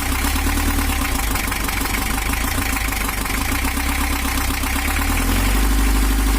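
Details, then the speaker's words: 1982 Toyota Hiace LH11 diesel with overheating and rough running, after camshaft top timing re-set: even, steady low idle beat with no misses or knocks; smooth idle, timing still not fully optimal. "jalur suaranya Udah halus tapi ada yang kurang kita cari lagi"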